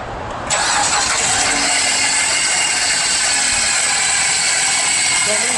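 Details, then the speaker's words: Alternator heard through a screwdriver held to the ear: a harsh, steady grinding hiss from what sounds like a broken bearing, leaving the alternator's internals off center and rubbing on the housing. "like for instance that noise you just heard that sounds like a a broken bearing and now the inside of the uh the alternator is off center okay and rubbing up on the housing"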